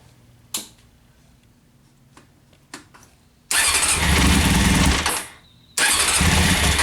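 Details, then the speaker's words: 1998 Honda CBR after carb rebuild, new spark plugs and K&N air filter: engine starts and runs but chokes out and dies on a throttle blip; bogging, cause unknown, owner suspects maybe a vacuum issue. "the bike runs it starts just when you do the throttle blip it just chokes out might be vacuum might be something not sure might be something super easy"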